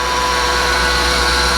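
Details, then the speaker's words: Ford F650/750 truck engine running; constant high, steady-pitched whine that was not there the day before, and the fluid was possibly topped up by others; power steering pump whine, pump to be replaced. "all right now I hear power steering noise I didn't hear that yesterday at all wow wow [Music] maybe this thing needs a power steering pump definitely did not hear that yesterday when I pulled it in"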